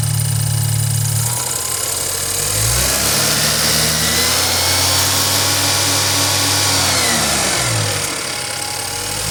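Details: BMW N20 with 133,000 miles revs up and settles with a light, quick rattle near four per second over a busy top end; the owner suspects timing chain noise, not confirmed.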